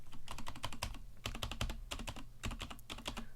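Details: Vortex Cypher keyboard with stock Cherry MX Silver linear switches and stock keycaps, unflipped split spacebar: each spacebar press gives a clean, even thock with no rattle or ping; stabilizers sound well seated, normal spacebar sound.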